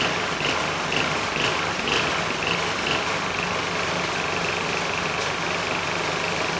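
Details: Powermate SX Power Series 3250 W generator (PM0123250) starts first pull with choke on, fuel valve off and a light plugged in; it runs unsteadily with surging, uneven beats from a faulty carburettor.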